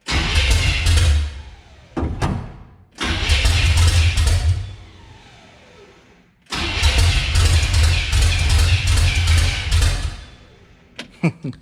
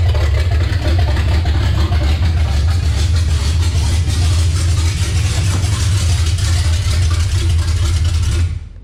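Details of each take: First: Revived Chevy 350 V8 in a C10, first start in six years, good fuel pressure: repeated cranking bursts of a few seconds each, almost catching but not staying lit; ignition timing is off and being advanced. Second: Revived 350 V8 in a C10, first start in 6 years after the swap: deep, lumpy rumble running steady and strong with no knocks, ticks or misfires before shutdown. Healthy running, though the oil leak at the valve cover may get a reseal.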